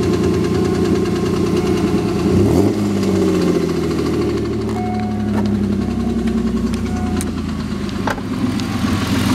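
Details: 2000 Ford SVT Contour with 3.0L Ford Escape block, Cougar 2.5 heads and SVT cams: idle with loose uneven tapping about three or four a second over the engine note; engine knock at idle, source not pinned down.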